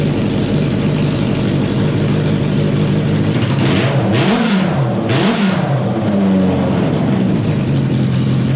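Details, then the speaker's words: Wheel Horse modified garden pulling tractor after a fuel system upgrade (new welded aluminium tank and fuel lines): loud single-cylinder thump at steady idle, two clean blips with no stumble; runs well, no leaks. "all right Beauty all right guys I'm going to call this done I don't see any leaks she runs as you can see"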